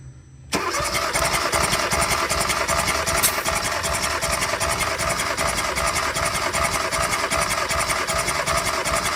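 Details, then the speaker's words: 2016 Kia Soul 1.6 L with P0300 random misfire (cylinders 3 and 4), spark plugs removed for a compression test on cylinder 4: reads good. Even, steady cranking with no drag or stumble. Normal cranking, good compression. "Listo. También el cilindro número cuatro. Está bien. Ya los probamos todos."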